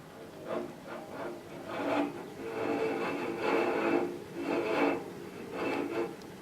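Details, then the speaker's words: 2006 LG WM14225FD direct-drive washer, 11 years old with slightly worn drum bearing: rhythmic scraping rattle about once a second as the drum tumbles, noisier than it used to be; owner thinks the drum paddles are rattling. "well that sounds a little bit noisier than it used to I think that's the paddles rattling"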